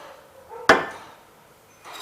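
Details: Hyundai Tucson 2.0 16v: one sharp metallic clunk from the right-side suspension as the sway bar (stabilizer) link is levered, from play in its worn ball joint; fixed by replacing the link.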